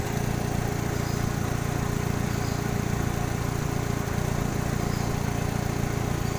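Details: 2000 Kia Sephia engine at idle: steady low idle with a faint uneven pulse, about three beats a second, under a constant hum, suggesting a misfire at idle (suspected, not confirmed).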